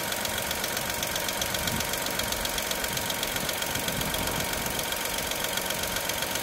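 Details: Dacia Sandero SCe 75 petrol engine at idle: sharp, light, regular top-end ticking about four per second over a quiet idle; cause not identified.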